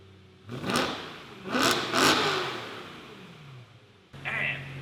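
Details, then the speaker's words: E90 BMW M3 V8, before clip with only a resonator delete, before fitting a Turner valved catback: two quick rev blips, uneven and crackly coming off low rpm; known breakup not yet sorted, cause not stated. "but on low RPM, when I first blip it, it breaks up. Hasn't been an issue. I'll probably sort that out sooner than later, but if you guys hear that weird like break up in the exhaust, that's what that is."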